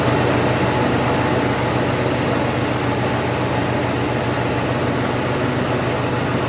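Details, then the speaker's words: Toro Turfmaster mower after carburetor replacement, blades engaged: loud even drone with steady fast firing beat, no surging or stumbling; running normally under load, carburetor was the fault. "There you go. It was the carburetor. Easy fix."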